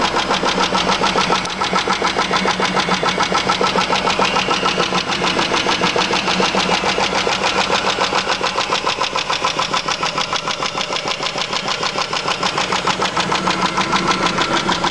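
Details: Chrysler 300M petrol V6 idling at cold morning start with a sharp, rapid, steady tick; the tick is intermittent, louder on acceleration, and fades after a few miles. The car overheats and empties the radiator; oil normal, no smoke. Owner suspects lifter tick or spun bearing.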